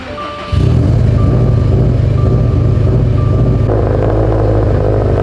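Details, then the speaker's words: Subaru STI, cold start after sitting overnight: uneven, stumbling idle with irregular low thumps, one cylinder dropping out; misfire with code P0354 ignition coil D (coil four, cylinder four) circuit; suspected coil, spark plug, ground or wiring harness. "yes it is so it is throwing a p05 or p0354 ignition coil d primary secondary circuit let's explain what that is ignition coil d that is ignition coil number four on cylinder number four"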